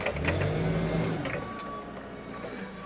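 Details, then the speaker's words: Older Hyster S50XM 5,000 lb propane (LP) forklift: engine revs and settles after braking, then shifted into reverse and a faint, evenly repeating high beep of the backup alarm comes in; alarm working normally. "Now, obviously I want to go backwards, so I'm going to hit the back arrow, and that's where you hear that"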